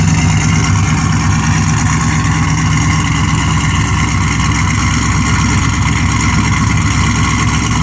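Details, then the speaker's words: 1963 Chevy C10 with 5.3 LS swap, HP Tuners tune and new exhaust, started up: deep, loud, steady idle with a slight lope from the big cam, no surging or stumbling; loud enough that it might be tiresome on a commute. Normal cammed idle. "I think on a commute that might drive you insane. Just going to have to turn up the tunes a little louder."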